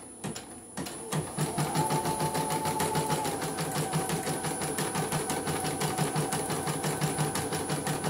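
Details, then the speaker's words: CNY embroidery machine (M19) that had been dead, only blinking, after repair of a short-circuited used motor: steady, even needle chatter about three stitches per second with smooth motor hum, thread pulling normally without snagging. "Oke, tarikan normal, benang tidak tersendat-sendat."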